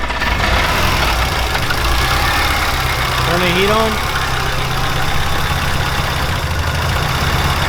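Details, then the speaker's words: 2005 Subaru Impreza STi, 800+hp build with 64/66 Precision turbo, FIC injectors, flex fuel, BC cams, oil primed, first startup, cold: loud, lumpy low idle with an uneven beat; runs rough because the tune isn't finished. "About to start it for the first time and get it up to temp. Mind you, the tune is not done, so it's gonna run weird."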